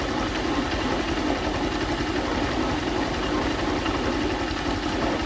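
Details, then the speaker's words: Honda CG Start motorcycle engine just started, idling with a dull, steady tapping knock; the sound changes when the clutch lever is pulled; customer complaint of engine noise, cause not confirmed. "Um, ó, dei partida e a mesma começou fazer o barulho, tá? Agora eu vou movimentar aqui, ó, a alavanca de embreagem e o motor vai mudar o som."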